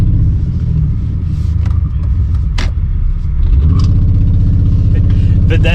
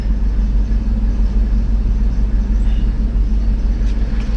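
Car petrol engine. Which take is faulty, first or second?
first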